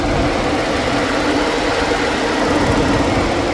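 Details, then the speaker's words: 2013 Ford Edge that was overheating, after replacing both failed radiator fans, engine idling: steady rushing air with an even hum, no rattle or wobble, fans moving far more air than before, normal cooling fan operation. "And we are by far moving way more air than we were before. I have to go back and listen to the first part, but man, you can hear those things humming."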